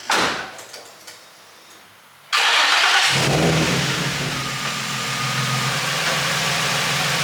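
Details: Infiniti G35 drift car, first start of its newly installed low-mileage engine with a Godspeed exhaust, on the second attempt after a battery connection issue. Short crank, then it catches sharply into a steady, even idle with no misfire. Normal engine start.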